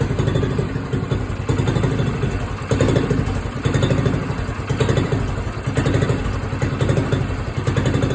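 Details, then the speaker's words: Small red single-cylinder moped, cold start, choke just turned off: low steady putter with a gentle swell about once a second as the governor holds idle while warming up; normal idle. "Turned her choke off there. You can hear the governor maintaining the idle."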